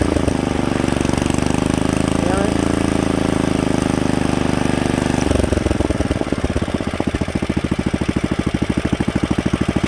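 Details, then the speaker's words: Rebuilt Kohler K91 single-cylinder engine after a carburetor float fix, moving from low idle to fast idle: steady running that shifts to a quicker, crisp, even beat around halfway, with no misses or knocks. Healthy fast idle. "so with a little bit more you know governor adjustment on a better adjusted carburetor i don't think you could ask for anything better than that"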